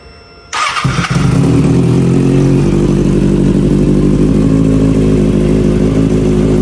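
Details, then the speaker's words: Kawasaki Ninja ZX6R salvage wrecked rebuild, muffler reconnected: fires up and settles into a steady, even idle with a smooth beat and no knocks or rattles; engine sounds really healthy, normal idle. "she sounds just perfect this is super good news guys you have no idea super good stuff so the bike does that the engine sounds really healthy"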